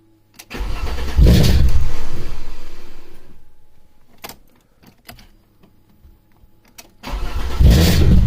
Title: Alfa Romeo 2.5 V6 No Start - Start and Stall